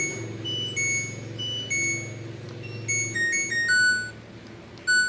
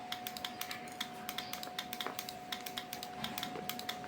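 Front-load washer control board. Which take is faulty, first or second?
second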